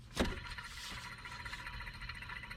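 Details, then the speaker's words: 2002 Mercedes-Benz SLK 32 AMG, belt accessories checked by hand during water pump replacement: hand-spun tensioner pulley gives dry gritty whir and wobbles; worn bearing, to be replaced. "definitely has some wobble in it and is making a bit of noise so that will need to be replaced"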